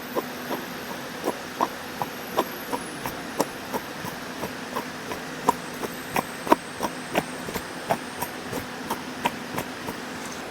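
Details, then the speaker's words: Toyota Vios NCP42 at idle, harsh noise from the belt end; sharp regular knocking clicks about 160 a minute from a worn water pump bearing; pump replaced and the engine then runs quiet. "Itulah bunyi dia. Krok krok krok krok krok krok. Ha jadinya kita pun bagi tahu dialah tukar water pump ni."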